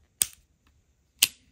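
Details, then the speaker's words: Old Shimano Bantam fishing reel after service with the frame cleaned, shaft oiled and clutch ramps greased: two crisp sharp metallic clicks about a second apart with no grinding; the clutch engages properly. "Can you hear how it pops? You can even hear some kind of metallic sound because once you grease the clutch on any reel, I promise you, if the reel is old and you grease the ramps on the clutch, the clutch becomes so enjoyable."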